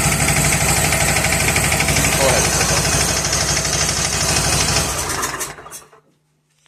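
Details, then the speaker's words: Bad Boy mower after ignition coil replacement, choke pulled and a little throttle: the small single-cylinder runs with a fast, steady, slightly rattly beat, then shuts down. Coil fault fixed, but it is a bit noisy and smoking; oil is very black and due for a change. "Okay, we got it running. So, the the coil was definitely the issue. It does seem a little bit noisy though."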